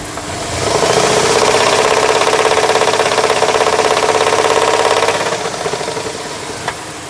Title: ‘03 Liberty 3.7 Rod Knock